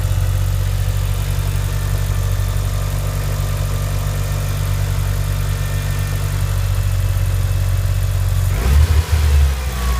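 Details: Mitsubishi Evo IX cold start: smooth, even cold idle, then a short throttle blip near the end. None of the ticking/tapping heard when the engine is hot; normal cold idle.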